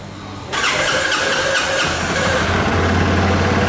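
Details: Dafra Next 250 scooter after repair of stuck valves and faulty TPS sensor (had been misfiring and stalling): engine catches promptly, settles into steady, even idle with no misfire.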